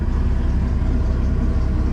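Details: MerCruiser engine in a Manta Ray boat, after fuel pump tune-up work: deep, even idle with a smooth steady rumble, no misses or knocks; healthy.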